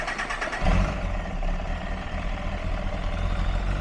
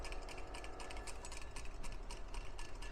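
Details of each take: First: 2004 Kawasaki ZX-10R after clutch rebuild to fix a rattly clutch, on the bench: steady, even idle with a smooth low beat and no jangle or rattle from the clutch; healthy engine. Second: 2004 Kawasaki ZX10R clutch basket, removed and shaken: loose metallic clattering because its damper springs wore against the back of the basket and went slack, the cause of the bike's clutch rattle.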